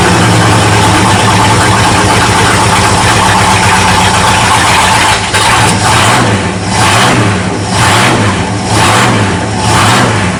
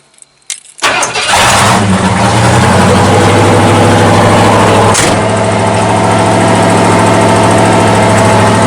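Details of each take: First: 1979 Ford dentside truck with a newly installed carburetor, warming up: heavy V8 idle that sags and surges about every second and nearly stalls; float set too high, getting too much fuel and choking out at idle. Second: 1979 Ford dentside truck V8 after new Holley carburetor fitted, floats adjusted, choke open: catches and settles into a steady, even idle with smooth low rumble, no misses or knocks; sounds much better.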